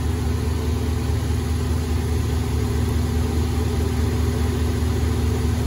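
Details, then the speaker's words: 2015 Infiniti Q50 3.7L, first start after new NGK spark plugs and an oil change with a K&N filter: smooth, even idle hum with no ticking, misfire or stumble, a healthy V6. "Getting ready to fire this thing up. Hear it run. Brand new spark plugs in it. There you go, guys. Brand new NGK spark plugs, brand new oil."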